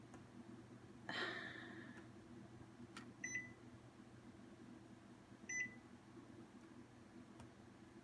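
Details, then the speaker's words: New Epson SureColor P600 printer, first use, demanding Auto Sheet Feeder 13x19 inch Ultra Premium Matte instead of the selected paper: two short high double beeps a couple of seconds apart over quiet room hum; paper mismatch error beeps. "Okay, so I was going to videotape it printing, but I can't because now it's yelling at me and it's saying replace with the following paper, Auto Sheet Feeder 13 by 19 inch Ultra Premium Matte."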